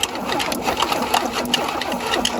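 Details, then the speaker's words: Abandoned 1977 Chevy Camaro, starter working after a screwdriver fix for a suspected poor connection: fast, even cranking with spark plugs out and no firing, air shooting from a plug hole. The engine turns freely and has compression. "So it has compression because air's shooting out where the spark plug tightened up all the way."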